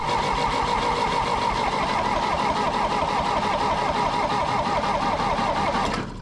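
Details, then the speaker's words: Rebuilt-engine John Deere 1010 diesel tractor, cranking with newly installed starter and generator: cranking starts at a quick even chug, then drags and slows partway before stopping; starter losing speed, cause unknown. "so this starter tends to start out fast and then you'll hear it slows down partway through cranking I have not been able to figure out why it's doing that"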